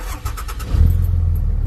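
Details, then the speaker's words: Ram 2500 with intermittent no-start, after burnt wire found and spliced with solder-seal connectors: brief crank, then the engine catches promptly and settles into a steady low rumble; clean normal start, no issues. "No issues."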